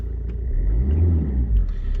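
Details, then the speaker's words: Alfa Romeo GT diesel, 97,000 miles, started for inspection: steady low diesel rumble at idle, even and smooth with no knocks or misses and no smoke out the back; engine sounds okay. "engine sounds okay no smoke out the back"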